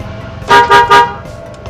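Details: Car alarm gives three quick horn chirps about a quarter second apart as the remote locks the car; the alarm arm signal works, and if the doors fail to lock the owner suspects the motor lock or its wiring.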